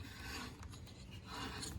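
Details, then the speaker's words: Lawn mower turned over slowly: an uneven dry rasping scrape each revolution, the ignition coil rubbing on the flywheel. "That is this grinding on this flywheel. That is not supposed to be touching."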